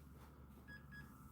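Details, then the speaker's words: Dell Pentium 4 desktop (no hyperthreading) after a page-fault blue screen and a power cycle: two short, faint high beeps at power-on. This is a POST warning code; memory failures are reported and bad RAM is suspected. "Memory failures. All right. Well, whatever. Sounds like we might have some bad RAM."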